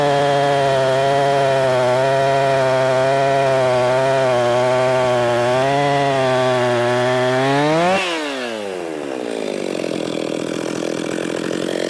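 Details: Husqvarna 262XP chainsaw, tuned up, cutting wood: strong, even two-stroke buzz holding steady in the cut, then clean rise and fall in pitch when freed; healthy saw pulling well under load.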